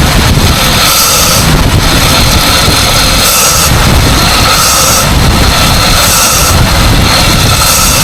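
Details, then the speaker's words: 1947 Dodge six, once started after carburettor and choke work, warming up: loud steady idle with even beat, no misses or hiss; running too nicely for a major inlet gasket or vacuum leak, normal idle. "once it starts it sounds fine I just can't help thinking that if there was a major Inlet gasket leak it wouldn't be running this nicely"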